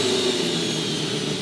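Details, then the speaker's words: Rotary engine with new turbo on stock parts, revving without building boost, loud steady rushing hiss over the engine as air blows back out the turbo inlet; owner suspects intercooler pipe restriction, not yet confirmed. "You hear all that? That's air coming out of the turbo."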